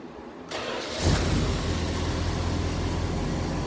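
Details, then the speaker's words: Dodge Charger, 318 V8, new Amazon carb, after making new spark plug wires for all eight cylinders: it cranks and catches within a second, then settles to a steady, even idle with no stumble, running on all eight cylinders, before warm-up and carb tuning. "well she's running on all eight again so that's good in my book"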